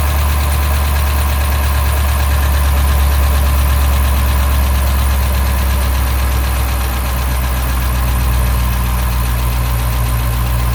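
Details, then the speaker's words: 2012 Dodge Charger 5.7 Hemi just started after misfire work; steady V8 idle with a light, fairly quick lifter ticking that eases off as the lifters pump up with oil. "there we go we are running the lifters should kind of quiet down here in a second after they fully pump up foreign"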